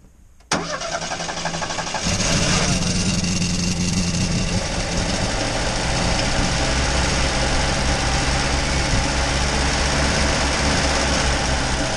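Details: 1965 Opel Rekord found in a barn after 30 years, with only fuel and oil renewed and the carburetor checked: a brief crank, then the engine catches and settles into a steady, slightly uneven idle. First start after long storage.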